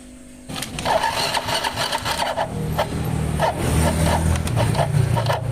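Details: Yamaha Mio GT scooter test-run without the front CVT pulley fitted, jump-started on a weak battery; steady low hum with no harsh knocking. The engine core itself is fine.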